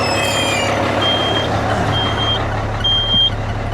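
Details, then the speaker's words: Used dump truck, air leaked down after sitting a couple of days, faster than the owner likes; high steady electronic beep over diesel idle, the low-air warning until pressure builds. "That's low air. Like most trucks, the air system will leak down over time, so this has been off for a couple days, although I think this actually leaks down a bit faster than I'd like to."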